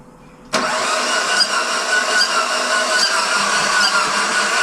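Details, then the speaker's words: First-gen Dodge Neon SRT-4 with ECU and SKIM module swapped, cranked with starter fluid: the starter spins the engine fast and evenly without compression chugging; no compression, so it won't start and the engine must be replaced. "as a last video I recorded was showing that we have no compression so that's why it just wasn't turning on so engine has to come out"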